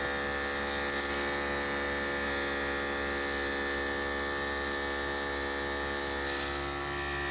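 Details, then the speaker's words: Harbor Freight 12V 150 PSI inflator compressor hitting 30 psi at four minutes, faster than a small unit's seven minutes; steady even motor buzz under load: normal running; hose and handle get very hot. "with a small air compressor and it was seven minutes to get it to 30 psi and we're four minutes and just hitting 30"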